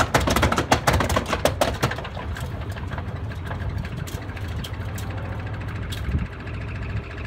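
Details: Miele Honeycomb Care W418 5 kg washer, overloaded with bricks, final spin set to 1600 rpm: heavy irregular thumps settling into rough rumble; owner suspects broken drum spider, drum wobbles and is noisy above about 900 rpm.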